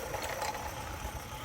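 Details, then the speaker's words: Accucraft Ruby live steam locomotive hauling cars on a loop: soft busy steam hiss with faint low puffing, no knocks or scraping; running normally, perhaps a little fast, slowing on curves. "It's probably going a little fast right now, but yeah, it's running."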